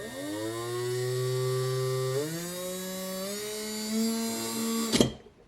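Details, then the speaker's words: Würth 3/8in cordless impact wrench after repair, reassembled: clean steady motor whine stepping up in speed with no squeal, stopping instantly on trigger release as the motor is braked; runs healthy. "now let's see if this will function without squealing he is hoping okay here we go yes no squealing"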